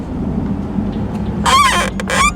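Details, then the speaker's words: Boosted Nissan 370Z Nismo at idle: two loud squeaky, rubbing bursts as the steering wheel turns. The squeak got worse after the clock spring was replaced; cause not pinned down. "so one thing we have to fix ASAP because it's really annoying is this steering wheel yo so ever since I changed the clock spring it actually got worse you guys can hear it"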